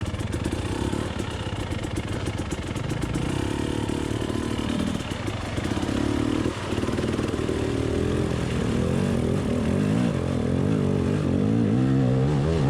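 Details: Beta dirt bike idling and blipping with a clattery, warbling rasp around four beats per second rising into a squeal on revs, likened to a drowning dolphin; abnormal, cause unknown.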